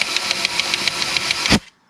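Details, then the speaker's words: 2004 Suzuki DRZ400 engine with the oil flushed of milky coolant contamination: compressed air spins the oil pump and its gear, giving sharp regular clicks under the air hiss from a missing tooth on the oil pump gear; the knock was first blamed on the wrist pin. "that sounds like the knocking that we were hearing thinking that it was the wrist pin but i'm thinking it's either the oil pump or this gear because the only thing that's spinning right now is the oil pump and that gear"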